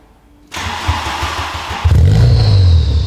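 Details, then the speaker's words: Mk3 VW Golf GTI being prepared for rallying, phone beside the exhaust at tick-over: deep, booming idle reading 99 dB against a 92 dB track limit. The fitted universal Powerflow silencer box is hollow. "So already on tick over, it's 99, so there's no point revving it up."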